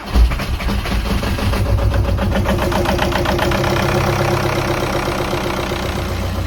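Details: VW Golf after camshaft, lifters and timing belt replacement, first start without coolant: steady, even idle with smooth firing and no knocking or ticking; the earlier knocking noise is gone.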